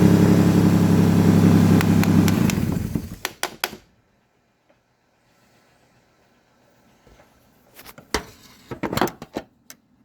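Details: Nissan Xterra 4.0L V6, intermittent shutdown and no-start with intermittent spark and wet plugs: cranks and catches roughly about three seconds, then dies to silence and a few clicks; cause was a faulty IPDM relay module.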